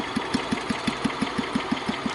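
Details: Kohler K141S single-cylinder engine after tuning, showing its lowest idle: slow, even thumps at roughly five or six a second with no misses or rattles; holds a steady low idle.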